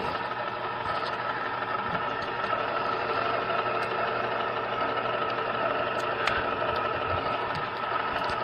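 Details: Zenith Z910 stereo console turntable motor (1974 per title, called early-80s elsewhere), running before lubrication: constant high hum with a fine rasp at a steady level; noisy worn motor, lubrication planned as the fix.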